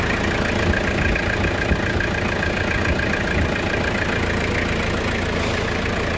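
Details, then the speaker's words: 2001 Toyota Hilux 2.8 diesel after a full service with an original filter, air filter, oil filter and Repsol 15W40 oil: steady, even idle clatter with no knocks or misses; healthy, smooth-running engine. "dá partida pra nós aí, Fishneg, vamos escutar a melodia do motor. Este motor. Vamos escutar essa melodia aí, moçada."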